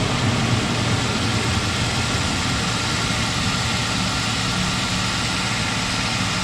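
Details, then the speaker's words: 2005 Ford Ranger 2.3 four-cylinder idling just after valve cover and intake gasket, plug and plug wire replacement, checked for leaks: steady low idle hum, even firing, no ticking or hiss; normal idle. "Alright, as far as I can tell, we're going to be okay."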